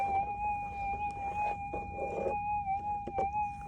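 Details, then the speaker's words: Minelab GPX 6000 metal detector with GPZ 14 coil, sensitivity cranked up over noisy ground: mid-pitched threshold tone wavers, broken by crackly bursts; unstable threshold from excessive sensitivity could hide small targets. "You can hear it just going all over the place. So that, you know, that fine little target that you're after, that little signal, you could easily miss it like that."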